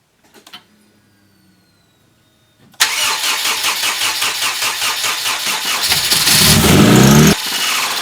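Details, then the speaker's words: Rebuilt Honda CR-V, first start after troubleshooting a suspected clogged fuel rail; cranks, catches, then revs climb sharply and unevenly before abrupt shutoff from a rag left on the intake being sucked in; rag pulled out easily. "I shut it down right away as soon as the RPM spiked from it inhaling a rag that I left on the intake."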